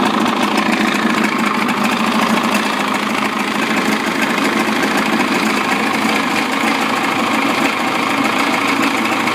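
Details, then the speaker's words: 55 hp Evinrude outboard running in water after a throttle cable adjustment: a smooth, even buzz with no hunting or stumbling. Normal, steady idle. "So every time the engine's in the water and you hear the idle and it's idling, that's okay."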